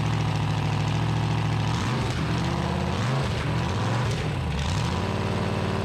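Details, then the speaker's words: 1974 Dodge D100 with a solid-lifter 383 big-block, new headers and a loud exhaust, idling on a cold morning after the timing was advanced: lumpy but steady idle with exhaust rumble, no knocks or ticks, and the idle could be set slightly higher; normal idle. "better turn your idle up a little bit huh yeah sounds pretty good though sounds good do it huh yeah no funny noises"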